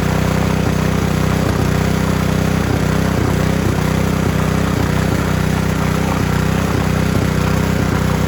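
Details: Honda G300 single-cylinder engine revived after 2 years outside, warm, after carb clean, new needle, fuel line, plug, oil change and water-filled tank cleaned: steady even thumping beat with no stumbling or surging, runs smooth and healthy.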